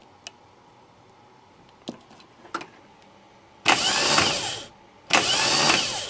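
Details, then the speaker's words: Starter on bench after cleaning brushes and reassembly, before brush assembly replacement: a few solenoid clicks then two one-second bursts of smooth high whir; starter spins freely and evenly, working normally. "Стартер работает. Поменяю щёточный узел, чтобы 100 раз не лазить."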